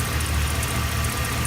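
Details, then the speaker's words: 2008 Chevy Express with 444,000 miles, formerly with noisy lifters, now after rocker adjustment and oil changes every 2000 miles: a deep, steady idle with no top-end ticking after a fresh oil change. "So you can see, got the truck running, nice, smooth, powerful, strong engine, and no leaks."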